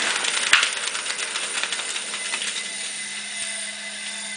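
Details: Studer A80 reel-to-reel master recorder, ex-BBC editing machine with about 20 transport bearings replaced and mechanics and electronics serviced, rewinding: soft even tape hiss and faint steady hum, no high whine; bearings sound healthy and quiet.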